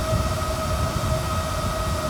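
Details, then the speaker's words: RV refrigerator in a slide-out with side vent, original vent cooling fan triggered by heat gun: steady, loud fan hum with constant tone, only slightly quieter when lifted; loud cooling fan noise, before replacement with new fans. "that's what this pound sounds like it is and I can lift it up it does get quieter but it's still really loud"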